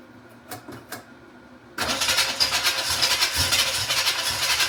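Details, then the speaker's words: 1986 Chevrolet Camaro Z28 350 small-block V8, no coolant so run briefly, fuel line dripping; a few clicks then fires and settles into steady even idle with some exhaust and choke smoke; normal running. "Heat. We got some smoke. Just exhaust smoke and some cho smoke. Okay, good, good, good, good. Heat. Heat. Sounds pretty good."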